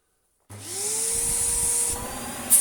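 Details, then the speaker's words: Vax Power Nano UCNBAWP1 vacuum after unclogging and cleaning the airflow path: motor spins up with a rising whine into a strong, steady rush of air; suction clear and healthy; normal motor running. "oh yeah that's pretty good it could breathe more as well that sounded like the four things opening its mouth for the first time in ages"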